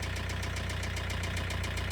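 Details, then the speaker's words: Great Wall Wingle 7 GW4D20D diesel that began knocking on the highway: sharp, even metallic ticks about seven per second; hydraulic lifter or rocker arm suspected, not confirmed. "so he appeared, making a clicking noise, as if there was a hydraulic compensator or a rocker"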